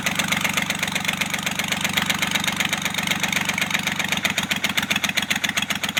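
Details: Kubota L1-255 diesel, idle: sharp regular knocks about four per second, harsher near the end, with white smoke; faulty cylinder head, repair: replacing the head.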